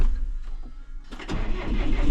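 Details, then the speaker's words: John Deere 6115M diesel tractor with intermittent starter problem, battery on charger, in neutral/park: brief cranking, then it catches and settles into a low, steady idle; owner suspects a bad starter solenoid. "it starts that time I need fuel"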